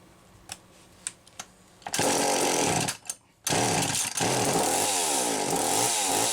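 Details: McCulloch Power 320 chainsaw test run after a loose pulse hose fault was resolved: fires after a few pulls, then runs strong with clean, crisp revs rising and falling under the trigger; healthy.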